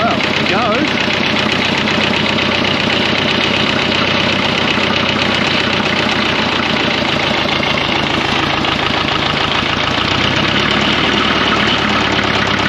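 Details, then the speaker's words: 1954 Fordson Major diesel tractor, first start after fresh oil and diesel: loud running with heavy, fairly regular knock about three per second; owner wonders if bearings are gone or the engaged starter caused it; unconfirmed. "no it lives it makes bad noises though"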